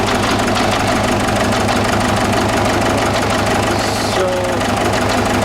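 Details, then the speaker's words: 2009–2010 Ford Ranger (Mazda BT-50) 3.0 L common-rail turbo diesel with a no-start and low fuel pressure, started on starting spray into the turbo pipe: rough, uneven, lumpy idle with shaking, a misfire; code shows cylinder 1 misfire detected. "here I can see the engine is taking a bit. It's got a little bit of a misfire there."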